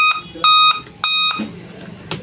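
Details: Dell laptop at power-on: a short sharp high beep, then two longer beeps of about half a second each, fading out; a POST startup error beep code.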